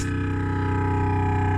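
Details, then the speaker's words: 2015 Renault Grand Scenic with Bose sound system and R-Link, engine off and audio off: constant low, loud droning buzz like a compressor drill from the Bose speakers; speaker fault, later stopped on its own, cause undiagnosed. "The engine is now off, the noise is still going. From the Bose sound system. It's coming from the Bose sound system."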